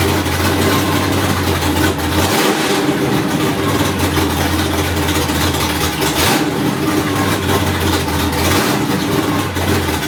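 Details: Third-generation car idling: an uneven, wavering low note that dips every few seconds, lumpy and unsteady; a rough idle.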